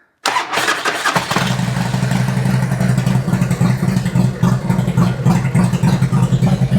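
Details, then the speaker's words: 2003 Harley-Davidson Twin Cam after a cam chest rebuild with a new oil pump and cam plate, restarted after gasket replacement: it catches after a short crank and settles into a steady, even idle with no knocks or ticks. "already sounds better."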